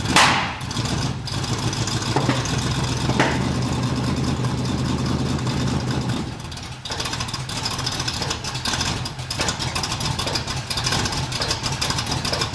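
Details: 1981 Cutlass Supreme small-block Chevy V8 with Vortec-style heads, cold start after installing correct-reach large-gap spark plugs with the distributor slightly moved: a rough, uneven idle with a recurring stumble. Misfire from a loose spark plug wire.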